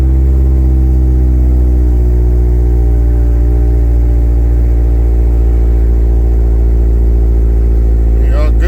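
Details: Mazdaspeed 6 started after installing a Deatschwerks 65 fuel pump, pump primed first: deep steady engine hum with even, unbroken rhythm, no knocks or misses; engine running smoothly.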